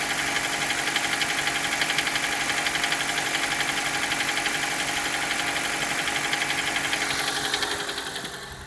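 Fast, even ticking knock, about four per second, riding over a steady idle; a knock in the engine, cause not yet pinned down. Cause suspected, not confirmed.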